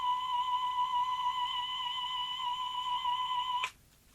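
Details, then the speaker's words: Repaired Grundig Stenorette 2070 Steno-Cassette dictation machine playing a test tone: a clear, steady high tone with slight waver for over three seconds, then it cuts off. Mild wow and flutter, acceptable for dictation. "so let's now listen to that tone I'm sure it'll sound dreadful I'll do a whirl flutter test on it later"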